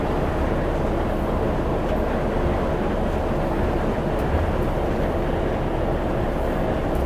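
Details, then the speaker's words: Irisbus reserve coach no. 1106, diesel, heard from inside while driving toward the depot with no cruise control: loud, steady drone with heavy low rumble, no distinct knock or whine; just a very noisy engine under load, cause unclear. "Ah voilà, vous allez entendre ce bruit là tout le long. Il en fait du bruit."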